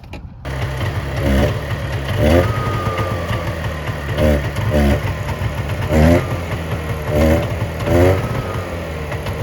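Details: 1970 Subaru Sambar pickup off the road 40 years, after loosening the distributor to advance the timing: low, even idle with crisp revs about once a second that rise and settle cleanly; runs on its own and sounds healthy.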